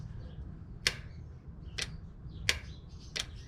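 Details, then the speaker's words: 2003 Chevy Silverado with code P0446: the EVAP vent solenoid, commanded by scan tool function test, gives sharp single clicks about every 0.7 seconds, so it actuates. The smoke test found no leak; the fuel tank pressure reading stays fixed at 0.2 V. "So it does actuate, so that's good."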